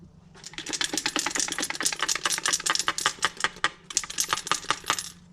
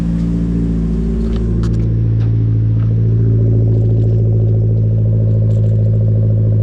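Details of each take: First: Removed rebuilt Wilson starter motor from a Merkur XR4Ti shaken by hand: sharp metallic rattling bursts from loose internal parts, something felt coming loose; it sounded bad driving on the road. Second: Merkur XR4Ti cold start after starter and factory engine mount replacement, belt off, no coolant: steady, slightly fast cold idle, smooth even hum, no misses or knocking; 60 psi oil pressure at idle, running healthy.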